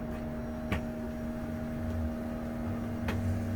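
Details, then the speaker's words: 2004 Country Coach HWH slide room coming in on test two after track roller adjustment to clear the fiberglass: even motor hum at a constant pitch with a couple of light ticks, no grinding or binding; sounds nice. "we bring this bring this back in a little bit they're almost all the way sounds nice"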